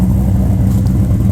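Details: Holden VT Clubsport V8 after a new exhaust is fitted: deep, steady rumble with a strong, even note under light revs, no knocks or rattles; much louder than the previously quiet exhaust, healthy.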